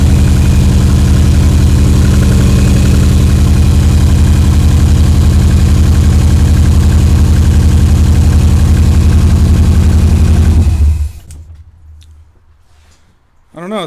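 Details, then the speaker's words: Subaru EJ22T DOHC head swap, RobTune EJ20G ECU, first start: lumpy idle with steady stumble about three beats a second, one cylinder misfiring; hissing heard on right side, vacuum leak suspected, only about 10–15 vacuum. "no it's definitely working is just misfiring for another reason yeah we got to figure out which cylinder it is"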